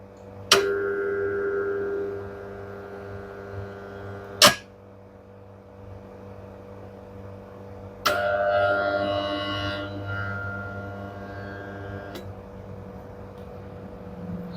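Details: Candy semi-automatic twin-tub washer, wash motor run with the V-belt removed: steady low electrical hum with no spin-up, a few sharp clanks, motor stuck under power; bush sticking; stalled motor hum.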